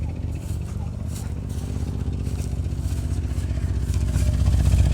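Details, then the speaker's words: 1988 Chevrolet Suburban 2500, 5.7 L V8 (owner thinks), revived after 6 years of storage: deep, even burbling exhaust at idle, loud and throaty at the rear; rear muffler box has a big hole. "You can hear the bulu, bulu, bulu, bulu, bulu. One of the boxes has got a big hole on it."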